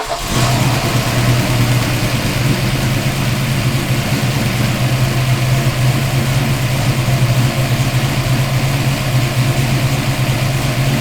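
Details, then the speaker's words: Fox Body Mustang with a forged 348 cubic-inch small-block Ford stroker built for boost, first fire after the engine swap: catches quickly, then a strong, steady V8 drone under light revs with no misses or knocks; runs good before break-in. "So car runs, it runs good."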